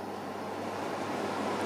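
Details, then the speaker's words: Keops HK 90 X cooker hood, motor formerly straining with no speed working, after greasing the motor shaft bearings, first speed: steady, even air rush, no rattle or scrape. Runs normally. "ça fait un bruit normal tout à l'heure ça faisait pas un bruit normal ça m'a pas plu"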